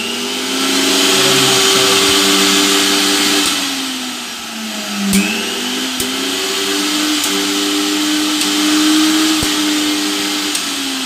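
Smooth high-pitched motor hum that dips and recovers as the load shifts, with no grinding or rattle; the mixer runs normally.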